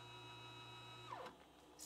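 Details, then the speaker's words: Used, owner-assembled K2CNC router Z axis moving up or down low on travel: steady stepper buzz suddenly breaks into rough chatter as it stalls. It occurred consistently in the cold winter shop. Cause unconfirmed. "sometimes it'll just be going up or down and it'll start making that noise"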